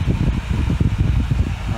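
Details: Dyson Hot and Cool fan heater after PCB repair using donor boards (blown motor controller chip had taken out the microcontroller), heating to 37 degrees; low, even fan rumble with soft pulsing as speed rises; normal running.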